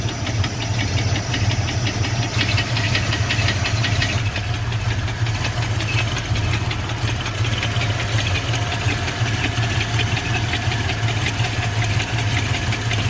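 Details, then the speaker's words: Ford Fox-body Mustang LX converted to GT, carbureted with a Holley, after sitting about 6 years: uneven knock at a lumpy idle, louder inside and gone at about 1,500 rpm. Oil pressure is good but drops after driving. Cause unknown. "okay sounds definitely worse inside when I give it rpm he goes away definitely can't hear it right now probably 1,500 rpm"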